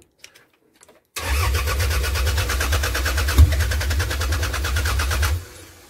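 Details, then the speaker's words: 1998 Toyota Camry after fuel system rebuild, with octane booster and quick-start spray in the intake: steady starter churn about three turns a second for four seconds, no firing; won't start because the engine computer was left unplugged. "she still wouldn't start and i couldn't figure out why i started checking all my grounds and everything and there's something i forgot and she'll never run for a million years as i forgot to plug the computer back"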